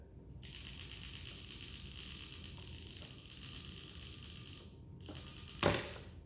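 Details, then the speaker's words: XK K130 RC helicopter after a crash, servos tested through pitch changes: a dry crackling rattle with sharp clicks as a servo moves, gear teeth skipping; another servo is found stuck. "now I need to figure out which one is stuck you guys hear that this is why we test that so that means we have one more servo that's found a spot where it"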